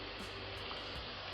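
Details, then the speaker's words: MacBook Pro Retina A1398 on power-up with an extremely loud fan; constant high airy rush with no rise or fall, cooling fan running flat out at full speed, before opening and repair. "So I've got a customer's bought me a MacBook which has an extremely loud fan. Let me just zoom out here a little bit. You can probably, if I switch it on now, can you hear that? I'm sure you can. Well, that is loud."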